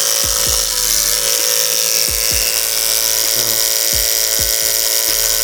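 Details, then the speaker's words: Hair clipper cutting hair right after the blade was sharpened on a block and oiled: bright steady buzz with only brief low dips as hair passes, no hesitation or stalling, cutting cleanly. "I mean, no hesitation. None. Look how fast you can go. You can shoot that hair through there."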